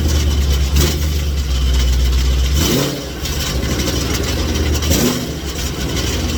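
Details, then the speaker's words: 2019 supercharged Mustang (headers, free-flow exhaust, suitcase, stock mufflers) after one to two weeks on a decel burble/pop tune: at cold start and on blips a loose, tinny buzz rises with revs; suitcase baffles and internals are rattling; the exhaust is damaged. "sounds like the baffles and the components inside of the suitcase are rattling because the ping did a lot of rapid expansion and contracting based on the d cell burble and pop tunes by my exhaust is literally damaged"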